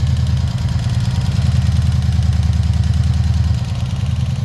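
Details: 1986 Honda VF700C on centre stand, warm at about 1300 rpm idle after a valve adjustment and cleaned, refitted carbs: a deep, uneven pulse near three beats a second with a lumpy thrum. Abnormal idle noise from the rear cylinders.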